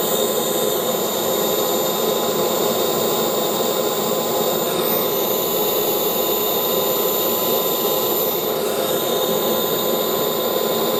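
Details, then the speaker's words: CARF Rebel Hot RC jet's newly installed turbine on test run, air bubbles purged, settling at idle with no issues. A steady high whine with fine hiss holds even, with no surging or rough patches. Normal turbine run. "okay no problems running it got rid of all the air bubes no issues at all so just going to let the idle stabilize"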